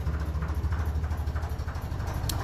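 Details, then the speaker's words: 1957 Ferguson 35 on TVO: dull regular knock on each firing pulse at slow, lumpy low idle; wet compression test showed rings and bores good; owner suspects worn small ends (connecting rod to piston) from years of running on TVO cold. "but there is a knock in it when it's taking over very"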